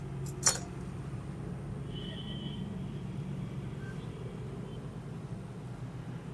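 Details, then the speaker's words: HP laptop with AMD Ryzen CPU, powered on after dust cleaning for overheating and loud fan noise: soft, steady low hum with no rattle, ticking or rising whine; the CPU fan runs smoothly and quietly. "പിന്നെ ഇത് AMD Raisan ആയതുകൊണ്ട് അതിന്റെതായ ഒരു CPU ഫാനിന്റെ sound ചെറുതായിട്ട് വരും"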